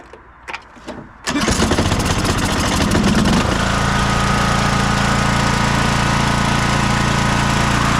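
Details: 2004 MTD Yard Machines Gold riding mower, single-cylinder, after oil change and carb cleaning: cranks briefly, catches and settles into a steady, even idle; healthy start.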